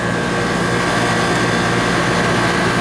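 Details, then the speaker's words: 1999 greenhouse cooler refrigeration system after clearing water from lines, oil change and long vacuum; compressor survived a fire: steady even hum, no knocking or rattling; compressor running smoothly, lukewarm liquid line, good amps. "I'm pretty happy with it systems running nice compressor sounds good it's 1999."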